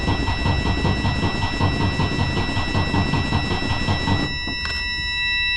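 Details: Freightliner Cascadia DD15 diesel with misfire and cylinder 6 idle quantity-deficit code, compression test cranking after valve adjustment, battery a little weak; even rhythmic cranking about two and a half pulses a second, no uneven beats, results 88-100%.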